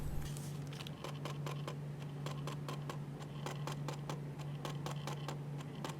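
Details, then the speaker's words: Newest Canon 70-200 lens on body after being dropped: rapid uneven sharp clicks about four a second over a low hum when lifted; typically an image stabilizer not switching on/off properly after a drop. "这个故障一般都是镜头摔过以后防抖出现了问题，不能正常开关产生的异响。"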